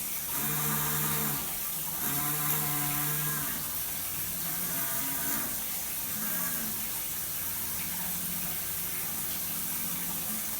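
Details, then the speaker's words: Master shower valve, handheld outlet: a droning hum rising and falling in waves over rushing water, with vibration felt in the handle. It is quietest at full hot and worsens when hot and cold are mixed; a valve cartridge is suspected. "the quietest temperature is when it's all the way at hot but asum as I start mixing cold and hot that's when it starts picking up the noise"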